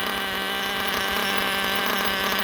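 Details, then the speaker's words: Gimar P5 nitro engine in Hyper 7 buggy, just broken in, running a P3 plug, about 71 degrees: loud steady high buzz; idle set high on purpose for break-in, to be lowered during tuning. "running see uh you know the idle is a bit High because that's how I have it for break in but we will drop that idle down and find a good tune for it"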